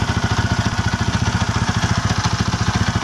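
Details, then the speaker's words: Sniper 150 at high idle: rapid even clatter with heavy vibration, silent when the clutch lever is squeezed and returning when released; worn clutch housing damper. "So yung ingay niya kapatid kapag nakapisil yung clutch ay nawawala, no? Kapag binitawan mo, naingay ulit, may vibration, ang bigat, ang bigat ng tunog dito, no?"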